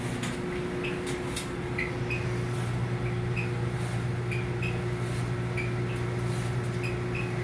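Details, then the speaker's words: Second-hand replacement clothes dryer running: low steady hum with short high squeaks chirping about once a second; squeaking returns intermittently. "oh the squeaking's back you can hear it sure sounds"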